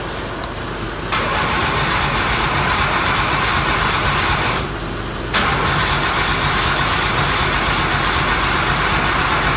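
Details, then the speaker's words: RB-swapped Nissan 240SX, first start attempt after the swap: two long even cranking bursts but the engine never catches; owner suspects distributor timing is slightly off. "no fuel no no if it's a smart car this car but it's not wanting to start I think maybe the distributor is just maybe off just a little bit"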